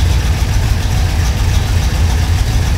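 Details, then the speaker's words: V8 with FiTech EFI idling with a cylinder misfire: uneven, lumpy beat with a stumble. The air-fuel ratio swings from the 14.5 target up to 15.3 while the engine actually runs rich, billowing black smoke. "so we're going to show you how it runs when it's completely unstable and has the cylinder Miss fire"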